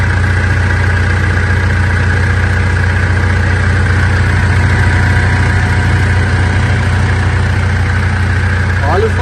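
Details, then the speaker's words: 2014 Mitsubishi L200 Triton 3.2 diesel, 254,000 km, after replacing a worn timing chain kit that was noisy when warm: steady even idle, smooth low rumble, no front ticking or rattle; normal idle. "do motor pessoal Zerou pessoal o barulho do motor"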